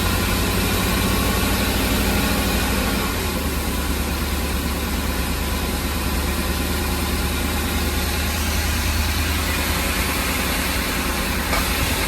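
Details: Ford E-350 van engine at idle: a steady, low drone with an uneven loping pulse and slight wavering, and the engine shakes. The rough idle sets no misfire code, and the cause is unknown.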